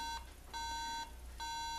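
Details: MacBook Pro with no boot and no video, sounding half-second beeps in repeating groups of three. This may point to a RAM problem; reseating and cleaning failed, so each of the two modules is being tested alone.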